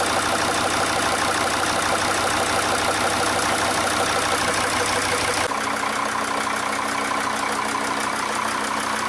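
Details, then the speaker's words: Diesel engine at idle after replacing a faulty injector: even clatter with steady beat and no stumble or skipped firing; runs smoothly, though hot-start failure remains, fuel pressure regulator sensor suspected. "После замены форсунки двигатель начал работать без перебоя."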